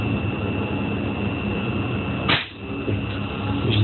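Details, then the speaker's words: Air conditioning compressor 2RD132X5BA after repair: steady hum with a thin, high fan whistle, then a sharp hiss of released air as the motor picks up speed and vibrates; the compressor pumps properly. "изпуска стата и набира обороти чува се дори вибрирането на компресор значи компресорът е успешно свързан"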